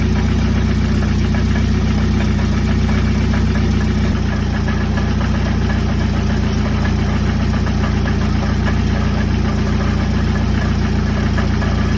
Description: I dodged a huge bullet; the awful Death Rattle was a blown out catalytic converter and muffler baffle.